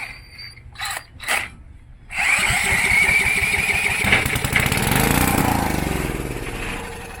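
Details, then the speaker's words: Coleman Contractor 4200 generator sitting for years, fuel shot straight into carburetor: silence, a couple of cranks, then catches and runs rough a few seconds until fuel is gone; engine runs, carburetor not feeding fuel. "She's a runner. So it did run for a couple seconds, out of fuel."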